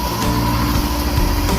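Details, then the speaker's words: Clark COEBS1 oscillating belt and spindle sander motor, no load, starting only when nudged: strained, uneven hum as if loaded; rough running caused by a faulty rotor. "sounds like something is loading the motor and it actually does that without any load being put on. Still not starting on its own !!!"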